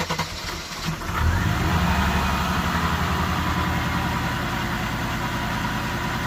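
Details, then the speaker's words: 1989 Mercedes 190E 2.6 automatic, cooled off after rewiring: catches after a short crank into an uneven, lumpy cold idle until warm; owner suspects the idle control module needs adjusting or replacing. "Because it had time to cool off, it runs rough until it gets up to temperature because of that idle module, whatever you want to call it, that needs to get adjusted or completely replaced."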